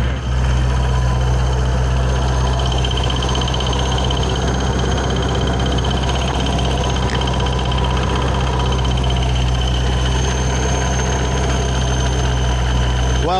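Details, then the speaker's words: 2006 Ford Mustang GT 4.6 with ProCharger at idle: loose fluttering slap over steady engine hum as the supercharger belt sits slack and flapping; a bearing-like noise behind the ProCharger bracket was also suspected. "loose it's sitting here flapping away so essentially I'm just going to take this belt off which it's definitely loose"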